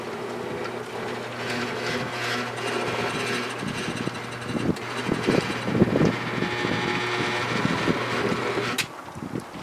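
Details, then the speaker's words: 1966 Ford Thunderbird front power window motor on test, mechanism with decades-old grease: labouring uneven whirr with occasional clunks, forcing the window; binding suspected from dirty, ungreased mechanism, needs cleaning. "You can tell that it's sort of forcing it, so it's not good. I'm going to have to just clean things, but at least I know that it's working now."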